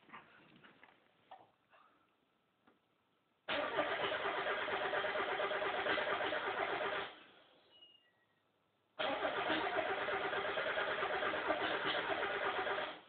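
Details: Mazda Miata cranks but won't fire: two long cranking bursts at an even rhythm of about three turns a second, never catching.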